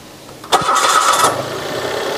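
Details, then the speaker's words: 2012 Mitsubishi Mirage Exceed automatic, used-car inspection, cranking-voltage test on a 60 Ah 12 V Faster dry battery (CCA 500): brief crank, engine catches at once and settles to even idle; voltage stayed high, battery healthy. "carking test berapa volt Dia turun ketika di start engine kita akan coba"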